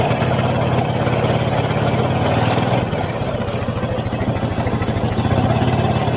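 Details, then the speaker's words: Honda Supra X 125: quick single-cylinder beat with a rough metallic grinding rumble from the clutch housing, which the owner says gets louder and harsher when ridden. "nah seperti itu ya bunyinya ya teman-teman seperti bunyi krucuk di itu kendalanya dibawa jalan itu semakin dasar bunyinya kata si pemiliknya"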